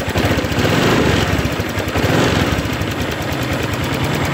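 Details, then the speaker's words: Honda Vario 150 scooter that stuttered and started hard, fixed by rejoining rodent-chewed side-stand switch wire; steady even putter with no stumbles or missed beats, idling cleanly after repair. "Oke sudah nyala ya jadi masalahnya ada di kabel yang menuju ke standar ya"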